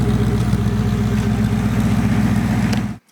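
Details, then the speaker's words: Rebuilt Porsche 928 V8 after oil change, warm after a 20–25 minute run with some hard driving: smooth, even idle with deep burble; previous ticking gone, exhaust not very black. "sound pretty good I think not I'm not hearing that Ticky tackling noise that I could hear before um it's pretty smooth around the bous yeah not bad exhaust is not crazy black either"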